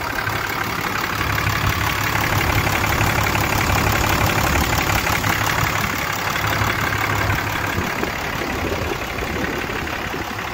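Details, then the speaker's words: 2008 Dodge Ram 3500 6.7 diesel after roadside replacement of a failed CP3 pump: steady, even idle clatter about three beats a second, no stumble or miss; normal idle after repair. "all righty boys and girls she's alive"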